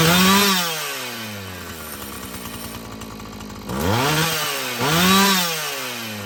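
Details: Husqvarna 445 chainsaw after cleaning and tune-up: blips crisply to high revs and drops back cleanly to a steady idle with no bogging or hesitation; it runs well, though the carburetor diaphragm may need more adjusting.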